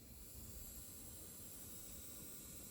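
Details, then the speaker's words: Coil whine from a horizontally mounted RX 6900 XTU graphics card on the Need for Speed Unbound title screen with no vsync or frame limiter: a faint steady high-pitched whine over a low hum. The PSU has already been swapped. "coming from the GPU so typical coil band I guess and uh so I don't have any sync on I don't have a frame limiter so this is really the Raw sound by the way clearly coming from the GPU"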